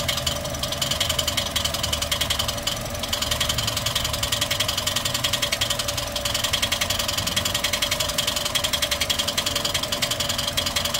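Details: Toyota 1NR-FE engine at idle with a noise complaint: quick, even, light top-end ticking of roughly 160 a minute over a steady idle. Source not confirmed; engine being taken apart to check.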